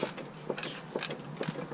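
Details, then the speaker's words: Honda EF hatch with a turbo B18B1 engine, engine off, on a jack with the steering turned. Dull clunks about twice a second; owner unsure of the source. "you can steer here that clunking noise I don't know if that is normal"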